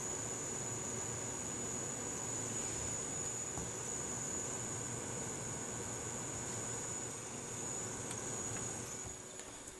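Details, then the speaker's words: Gigabyte HD 7970 overclocked graphics card under gaming load (Battlefield, Crysis, about 80% activity): thin, steady high-pitched buzz over loud fan rush, louder in Crysis, stopping when the game closes; card otherwise works fine. "but yeah other than that though the card is absolutely fine other than the fact that it makes a little buzzing noise"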